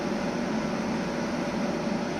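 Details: Outdoor compressor of 2009 Samsung 9000 on/off air conditioner after burnt capacitor replaced, working hard on very hot days: even, steady hum with low drone and fan rush, no knocking, rattling or cycling; compressing gas, pipe frosted.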